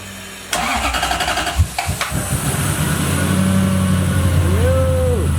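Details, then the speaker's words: 1UZFE V8 swapped into an RX7 FC, fuel pump hardwired to the battery because pump power cut out while cranking; short crank, clean catch, steady even low rumble with a brief blip; normal start and idle. "Fuel pump issue. There we go. V8 is sorted. Actually starts up real nicely now."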